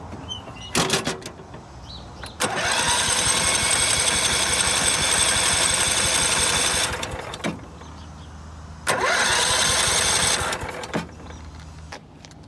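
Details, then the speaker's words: Scotts by John Deere riding mower, 16 hp Kohler Command engine with loose engine mounts, new battery: two long steady cranking bursts that never catch, fuel smelled but no spark; cranks but no start, suspected damaged wiring grounding the coil. "we don't have spark Let's test for spark"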